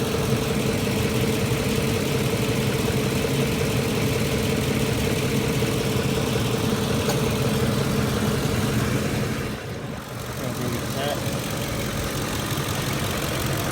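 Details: 2006 Ford F-150 idling at about 625 rpm, about 109 degrees, after roughly 45 minutes of driving: low, lumpy idle with uneven pulse nearly three times a second, engine visibly shaking; rough idle, cause not pinned down.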